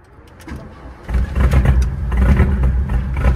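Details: VW Mk1 Rabbit rebuilt engine after re-torquing bearing caps (cheap torque wrench blamed for not turning): fires and runs up with steady revs, smooth low exhaust note, no bottom-end knocking; normal running.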